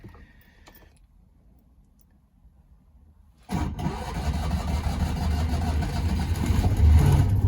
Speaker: there we go she's started up perfectly and now i can adjust based on the sound of the engine